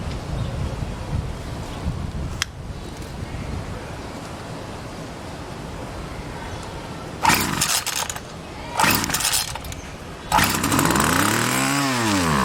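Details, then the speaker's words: Homelite SX-135 (UT20601) two-stroke string trimmer: after several pull starts it catches and revs up and down with a clean buzzing pitch; running well, no carburetor leakage seen. "Alright, so that sounds really good."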